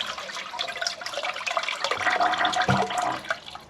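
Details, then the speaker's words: Toilet on a blind connection, flushed after jetting cleared the blockage through to the shower. Water rushes and gurgles in a strong, continuous swirl that drains away freely without backing up. The toilet is flushing normally. "so we think the toilet is on a blind connection but as you'll see the toilet's flushing"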